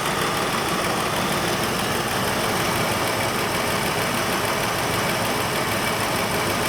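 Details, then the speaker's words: Mustang II Cobra that sat 27 years. It had run rough because a spark plug wire was knocked off; after refitting it there is a steady, even idle with no misses or stumbles, much smoother. "i was wondering why this thing was running rough because i knocked the spark plug moves and about cleaning all that out see it the plug wire just laying on the ground let's add that back and see if it autos out smooth well that's a thousand times better"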